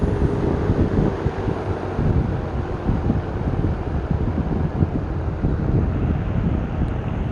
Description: Sears Kenmore 20" box fan on roll about stand. This fan was made by Vernco in the late 60's.